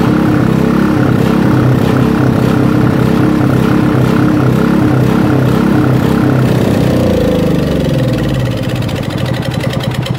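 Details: Robin small single-cylinder engine on its first start after a rebuild, running steadily with an even beat at a fast idle, no knocks or misses; it runs fine.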